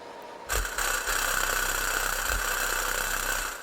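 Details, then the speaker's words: Subwoofer tested live on an amp with one voice coil wired at a time: a raspy buzzing rattle rides over the bass for about three seconds as the cone moves. The bad voice coil is blown. "this is one voice coil and I think that's even why it's making bass at all is because it's making bass on the voice coil that's good but on the voice coil that's bad that's what you hear rattling around"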